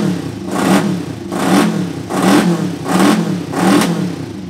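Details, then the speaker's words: Kawasaki 500 street tracker project motorcycle after wiring harness rework: five even rev blips rising and falling cleanly, no misses or knocks; engine runs and revs normally, neutral light issue remains. "Ah, je suis content de moi. Je suis rassuré surtout qu'elle tourne. Et franchement, c'était pas gagné."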